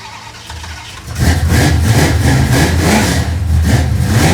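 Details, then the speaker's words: Engine catches after a second on the season's first cold start of a 1968 Dodge Dart GTS pro-street, then runs lumpy with an irregular loping beat; hard cold start, owner suspects carburetor issues, felt like flooding. "as i said she's a cold-blooded pig may have some carburetor issues i'm not sure it felt like it was flooding out a little bit but we'll look at that right now"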